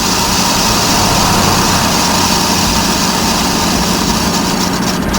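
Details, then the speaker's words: Electric trailer brake drum being resurfaced on lathe, rusty braking surface: steady scraping hiss of the cutter with slight rhythmic skipping each turn over a deep low spot needing two or three cuts; interrupted cut on deep spot. "see that there's a really there's a real deep spot right there it's going to take two or three cuts"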